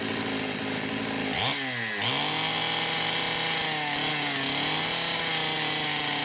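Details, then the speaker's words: Poulan 525 chainsaw at no-load full revs after carburetor gasket repairs: screaming pitch suddenly sags then wavers as the governed carburetor cuts in; owner wondered about a coil rev limiter. "Alright, yeah. I can hear the carburetor governor kicking in. I think you guys can hear it too."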